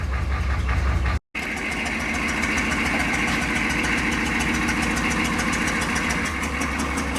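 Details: Lowered 6.2 diesel Suburban at idle with a terrible exhaust leak: a sharp, regular puffing tick rides over the diesel clatter in time with firing. The fix is replacing rusty pipe with pipe from the junk pile.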